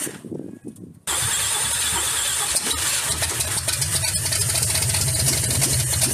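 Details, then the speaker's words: Truck (2011 Ram 1500 or 1975 Ford F-150) just revived, transmission fluid added: engine runs ragged and loud through open exhaust, never settling into steady idle; suspected vacuum leak, idle kicked up. "Okay, we definitely got a vacuum leak someplace. All right, I think we got to the point where it's not really idling."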